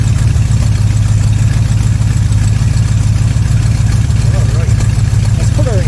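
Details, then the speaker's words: 1979 Corvette C3 small-block V8 just fitted with a Holley Street Demon 625 CFM carburetor replacing an Edelbrock 600, warming up, with a known exhaust leak at the manifold-to-side-pipe joint: steady, even low burble, idle dead on without adjustment; normal idle. "but it did start right up quickly and ran smoothly. And guess what? I didn't have to adjust the idle. It was dead on."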